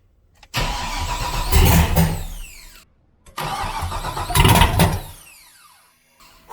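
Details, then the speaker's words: 2001/2005 Chevy/GMC turbo truck V8, manifolds only, oil cooler bypassed, no coolant, first start after long layoff with wiring harness, fuel lines and HP Tuners tune; two rough cranking bursts catch and bark through open manifolds; first firing. "i'm just going to see if it will fire up and run got the fuel lines on it and the wiring harness and everything like that we're going to see what happens"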